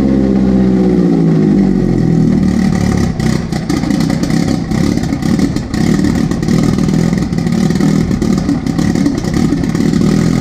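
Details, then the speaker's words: Jetta with billet IE fuel rail and Aeromotive fuel pressure regulator, jump-started from a fully flat battery after about two months sitting: catches, flares up loudly, settles into a rough but even cold idle, no knocks or misses; fuel pressure about 41 psi; normal. "that was very loud so it runs"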